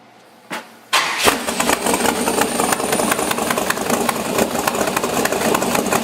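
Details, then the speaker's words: LS7 V8 in an S10 with new IAC log, both banks balanced with a synchrometer: starter catches, then a loud, choppy but even idle with sharp pops from both banks rather than one louder bank; sounds much better. "Now they're both even, and I've got the same amount of air using my little synchrometer coming out, and it sounds a whole lot better."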